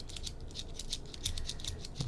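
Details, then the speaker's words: Sony AIBO ERS-210 robot dog tail block swung back and forth by hand after its gears were cleaned and lubricated, giving light, even plastic gear clicking; the dirty tail had been jamming and jittering. "We can hear how nice that is."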